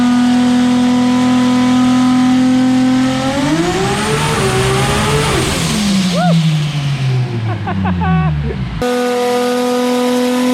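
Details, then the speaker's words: Pull at FuelTech: the note climbs smoothly through the revs, noted at 6,300 RPM, then winds down cleanly with no misfire or knock; normal full-power pull. "That was all right. That sounded pretty good, huh, Gordo? $15.23 at 6,300 RPM. That's not bad."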